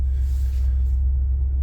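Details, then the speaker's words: 2020 Ford F250 Super Duty 7.3 V8 petrol, after replacing all spark plug wires to cure a P0300 multiple misfire and idle miss: deep, steady, smooth idle with no stumble, dash no longer shaking. "you could literally see the dash right there um shaking at idle and it just idles so so smooth now"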